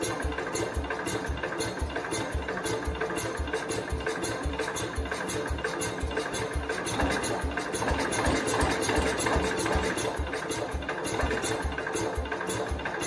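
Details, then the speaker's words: 1969 Cub Cadet 105 after readjustment, given throttle: slow ragged chuffing about three pulses a second, never settling into idle or running on its own; owner suspects wrong engine timing, engine to be pulled. "I tried to get it to start I cannot get it to start on its own it's trying to as you guys have seen but it's just not taking off"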